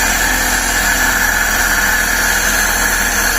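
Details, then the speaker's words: Suzuki Every/Scrum engine after throttle body cleaning, running with intake hose off; loud even hiss and high whistling tone over steady engine; intake noise from disconnected hose, to be refitted. "yan, para hindi maingay, patay na lang muna natin para isara natin."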